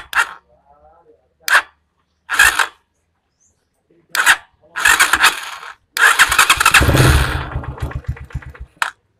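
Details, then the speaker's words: Viar Cross X 150 motorcycle cold-started before warming up: several short strained cranking bursts stop and restart before it catches, as the electric starter drags and sticks when the engine is cold. "Jadi tadi kan pas saya starter starter gini ya kan kayak ada suara mesinnya macet gitu ya"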